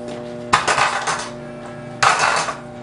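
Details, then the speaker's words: Scooter lifted about six inches off the ground and dropped twice: each drop gives a sharp metallic clatter that keeps rattling briefly, unlike a quiet dialed scooter. Parts from the wheels to the headset are likely loose or worn and need tightening or replacing. "Should sound nice and quiet. Nothing should be loose, nothing should be rattling around. Dialed, an example of a non-dialed scooter would sound something like this."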